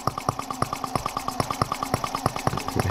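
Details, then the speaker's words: Microcosm R18 model engine patterned on the 1886 Benz Motorwagen engine, on its first run and fussy to tune: crisp, evenly spaced firing pops at about nine or ten a second over a light hum. Runs smoothly. "This is it, guys. I mean, it's sitting here running. I really like all the moving parts. It's a impressive little engine."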